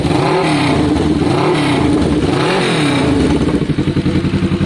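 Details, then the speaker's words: Kawasaki ER6n parallel twin just revived after sitting, with new spark plugs, airbox removed and a new battery fitted: throttle blips rise and fall with clatter and uneven pulsing while old fuel flushes out; cause unclear. "That is quite a sound. Guys, I'm going to give that a good 10 minutes to sit."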